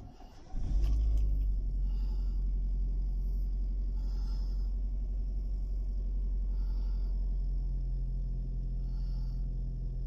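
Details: Proton Gen2 with a no-start problem, battery swap considered: a short crank, then it catches quickly and settles into a steady, even low rumble at idle; starts and runs normally.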